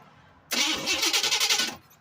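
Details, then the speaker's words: Turbocharged small-block Chevy in a daily-driver truck, otherwise stock, described as usually failing about three start attempts before catching: the starter cranks with fast even chugs for just over a second, doesn't catch and drops off. "It'll fail 3 times before it. Hopefully she starts this time."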